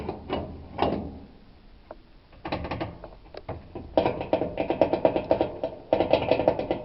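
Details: Maytag dryer, belt and blower fan already replaced: irregular metallic rattling and clunking in bursts as the drum turns while drying; cause was loose baffles inside the drum.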